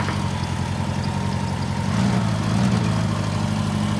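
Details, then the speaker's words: Old Honda Gold Wing flat engine after starter was shorted to bypass faulty start switch, fuel leaking: steady, even idle with smooth low burble, no knocks or misses; normal idle. "So, engine still runs good on this one."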